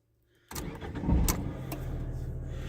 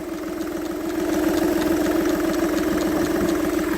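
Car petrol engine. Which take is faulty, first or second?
second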